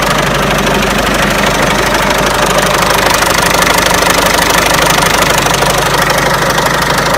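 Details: Peugeot 307 1.6 90 hp petrol engine at idle: fast regular ticking knock about three per second; owner asks where the engine knock comes from, source unknown.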